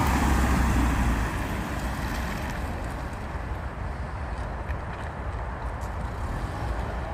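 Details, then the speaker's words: Mazda 6, one owner, 118,000 km, stock exhaust before a planned change. Even, mellow exhaust note easing down after a light rev, with no rasp or ticking; stock system sounds healthy. "Là on vous fait écouter le bruit, bon c'est d'origine, il n'y a pas grand chose. Mais puis voilà, vous verrez ce que ça donne après changement."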